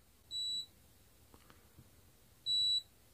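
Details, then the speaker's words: Capacitor tested with a meter: two short, high, clean beeps about two seconds apart as the meter charges it, screen value may vanish but beep indicates a good, solid capacitor. ", I see that it is solid here, a value on the screen could have disappeared, only you can hear the beep, depending on the value of the capacitor 3300 microfarats 25 Volt"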